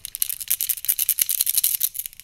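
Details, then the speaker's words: Removed supercharger pulley bearing from a Mercedes SL55 AMG M113K, spun and shaken by hand, giving a loose, gritty rattle of a worn bearing. "definitely not a good sound so if you think you have a bad bearing or something up front of your supercharger check your bearing"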